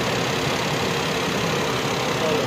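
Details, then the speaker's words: Suzuki Alto, about a 2020 model, in for no-start and dead meter lights (battery fitted reversed, no DTCs), idling with AC compressor clutch engaged and suction line cooling: steady even idle with constant fan and compressor hum, no stumbles; normal. "ठीक है और जो compressor है ना इसका भी clutch घूम रहा होगा ये इसका क्लच भी घूम रहा है और ये इसका सेक्शन वाला फाइव है ये ठंडा हो रहा है अभी"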